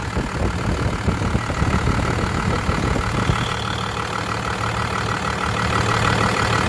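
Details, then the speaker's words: First-gen Dodge, 12-valve Cummins diesel with low compression, idle during a blow-by check; deep uneven lumpy idle with a breathy rush underneath; heavy blow-by from worn rings and valves. "well rookie mistake all right let's look at the blow-by try this again"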